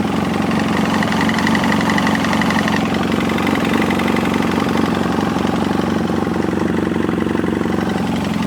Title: 2007 BMW F800S Piston slap cold engine